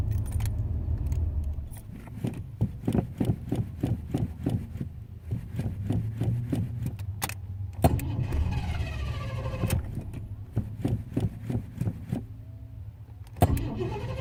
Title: Hard start in Noconas